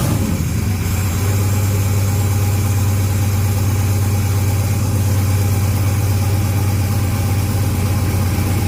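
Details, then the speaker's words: 6.0 LS-swapped second-gen S10 with a newly fitted turbo, no exhaust fitted yet. Loud, deep, steady idle with raw unmuffled exhaust bark. The engine is reportedly running rich, and the exhaust is still to be done. "yup that smells about right it's running pretty rich right now anyway gotta do the exhaust yet"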